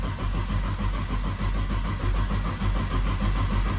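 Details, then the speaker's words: RB engine, damaged during skids and just reassembled, cranked without starting to build oil pressure before first start: fast, even starter cranking with steady compression pulses, sounding like all six cylinders. "So, we're just going to crank it and see if we can get some oil pressure first."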